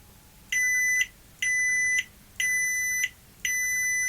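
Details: Toshiba V5470B Betamax video recorder under repair: reed switch tested with a stronger magnet gives four clean high-pitched beeps about one per second, now responding normally after appearing to have failed.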